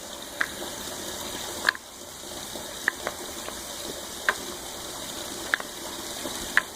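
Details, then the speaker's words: Suburban low coolant level sensor, cleaned rather than replaced: sharp light plastic clicks about once a second over a quiet hiss as the float slides freely up and down; sensor working. "it's just a float all it is is a float um so give that a try first if you want to save some money"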